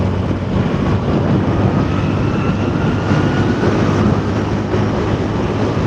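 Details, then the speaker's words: Yamaha Mio scooter after engine overhaul and repair, accelerating to about 90 km/h: steady even engine drone under load with heavy wind rush, no knocks or rattles; normal acceleration at speed. "Performanya bagus, sekarang sudah menyenangkan."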